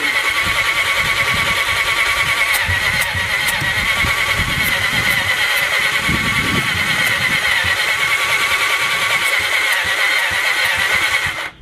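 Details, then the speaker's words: 1980 Honda CB750F Super Sport ex-drag bike, cranking a cylinder at a time with a finger over the plug hole: steady high-pitched starter whir with no firing and only a slight puff per stroke. Some compression present but low; bad connections suspected, neutral light out. "Alright, it's popping my finger off a little bit here. So there is a little compression in there."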